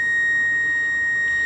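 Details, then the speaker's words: Pioneer SX-1050 receiver after re-capping, during FM tuner alignment: a clean, steady high tone of about 1.9 kHz on a 100 MHz carrier, no wavering or crackle; normal reproduction of the test signal. "So that's about a 1.9 kilohertz carrier tone, or audio tone on my 100 megahertz carrier. Very simple. It's just a simple modulated signal, right?"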